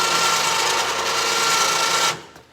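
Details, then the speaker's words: Newly installed Badlands winch on a 2009 Kawasaki Teryx: steady high electric whine with even gear hum for two seconds, then a clean stop; the winch motor pulls smoothly and sounds healthy. "so turned out good uh looks like it's going to be a pretty decent winch"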